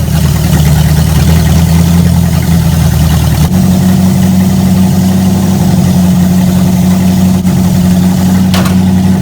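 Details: V8 just fitted with a Street Avenger carburetor and converted to a vacuum-advance distributor: steady, low, even idle with a slight tone shift and no misses. Float bowls possibly still filling and possible mineral-spirits residue from cleaning. Normal idle.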